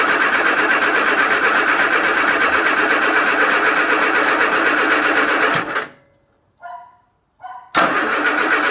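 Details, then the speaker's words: Agatha, battery just reconnected, fuel system expected empty: starter spins steadily about four beats a second for a long stretch, pauses, then cranks again without catching promptly; long cranking expected from lack of fuel. "i'll leave it with the battery off and uh i imagine we'll get a load of cranking because there's going to be no fuel see what we've got"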